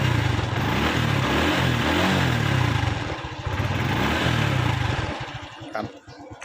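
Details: Honda Wave 110i motorcycle after valve clearance adjustment, fixing stumbling and weak acceleration: small single-cylinder engine catches and settles into a steady, even putter at idle with no tick or stumble.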